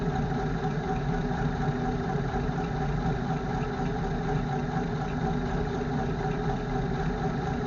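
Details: 1952 REO M-35 deuce-and-a-half truck that wouldn't start the morning after a snowstorm, with spark plug trouble and a frozen parking brake. It starts with a steady low rumbling idle and even beat, but keeps stalling; cause unknown.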